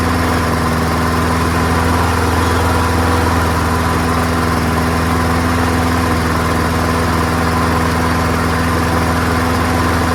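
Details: Free, old, rusty, worn-out Honda self-propelled lawnmower, started first pull on a small test fill of gas, with oil clean and full. Steady, even single-cylinder putter at fixed speed with no misses or knocks. Runs smoothly and healthy; carburetor judged not to need cleaning.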